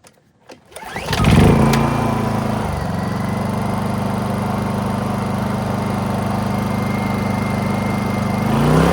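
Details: Honda EU2000i generator right after cleaning a badly fouled carburetor: pulls over, catches, then a steady, even drone with no surging or hunting; runs better than before, owner suspects two idle-jet O-rings. Normal running.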